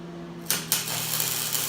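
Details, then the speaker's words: 110 V Century MIG welder running a bead, compared with a 110 V Harbor Freight welder whose bead was too cold: a couple of sharp pops at strike, then a steady, crisp frying sizzle with a different pulsing, burning in well. Normal MIG weld arc. "You can hear the pulsing is way different. Century's burning in really well."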